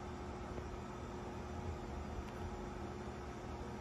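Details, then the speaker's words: Dusty 52-inch Hunter Westminster ceiling fan from around 2010–2011, run on high, gives a steady low motor hum with a faint tone and almost no airflow; bad capacitor makes medium faster than high. "This fan has a bad capacitor, so that's why I put it on high first, because medium speed is faster."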